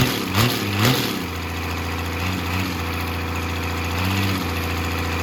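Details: 12-valve Cummins diesel on an engine stand out of the truck, first run after a rebuild for glazed cylinders (cause unknown; deglazed). Even, steady idle clatter with no knocks or misses; running smooth and healthy.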